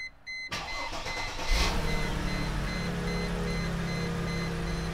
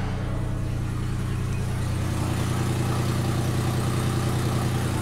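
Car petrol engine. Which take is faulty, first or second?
second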